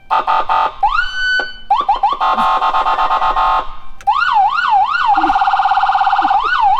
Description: We also manage to get the siren working so that's